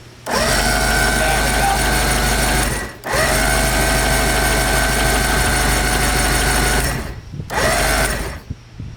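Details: 1990 Johnson 130HP outboard that sat 10 years, compression about 140 psi per cylinder: the steady, fast starter whir cranks it evenly in two long bursts but it never fires; cranks, no start, and strong spark is found afterwards.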